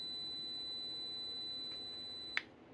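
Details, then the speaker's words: Vintage Macintosh logic board (Macintosh Portable M5126 or Color Classic) under repair: thin steady high whistle tones over faint hiss, then a sharp click, changing as a hand nears the board; symptom of a floating line to the ASC sound chip. "that is a symptom of a floating line to the ASC now it's either an address or data line or the chip select or the dma or it's one of those lines"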